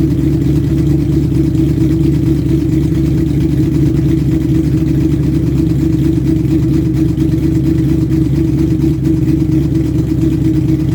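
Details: 2000 Mustang GT 4.6 V8, forged bottom end, bored 30 over, stage 3 heads, shorty headers; steady rumble with a faint fast tick, called timing chain noise; owner suspects failed cheap guides, teardown pending.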